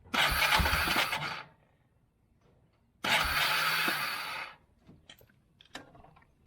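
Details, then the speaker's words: 1999 Yamaha Bear Tracker 250 ATV after fitting a replacement aftermarket carburettor: two short bursts of high-pitched starter whirring with no engine catching; the starter spins freely, indicating a slipping starter clutch. "hear that starter free spinning that's what i fixed in that one video"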